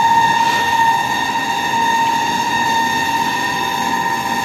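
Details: Window AC fan motor starts making a steady high whine with thin ringing edge over airflow hiss after running one or two minutes; fan motor noise, cause not yet found.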